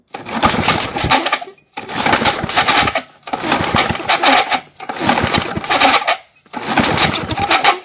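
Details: 1978 Tecumseh LAV50 small engine, old, choked by hand since the choke linkage is disconnected: five short whirring rope pulls with pauses, never catching though old gas is smelled; sheared flywheel key throwing timing off.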